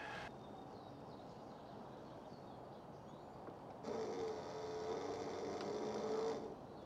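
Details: BougeRV portable propane water heater, pump switched on by holding its button, no heat yet: a steady, even hum with a constant mid tone that holds for a couple of seconds. Normal pump operation.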